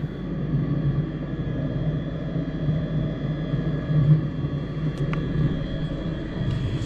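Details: Truck diesel bunk heater after rebuild (cleaned out, new glow plug, screens, gaskets, blower motor): smooth even low burner roar, no sputter or surging, no smoke; owner thinks it's finally fixed after months of trouble.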